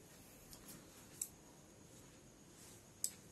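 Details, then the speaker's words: Normal switching of a relay on a LoRa RA02 / ESP8266 NodeMCU receiver, triggered as data arrives: two crisp single clicks about two seconds apart in a quiet room. "here is also in the receiver section there is also a led light which is attached with a relay so you hear the clicking sound"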